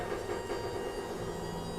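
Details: Quantum Q6 Edge 2.0 power wheelchair, like new with 6 miles of use: the seat back recline actuator raising the back gives an even, steady low motor hum with no clicks or grinding. It runs normally.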